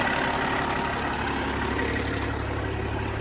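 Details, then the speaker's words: Kenworth T600 semi at idle with the air-operated fan clutch disengaged, fan turning only from the belt: steady even diesel idle with low drone, no knocks or fan roar. "All right, so right here it's off. Obviously it's turning because of the fan belt."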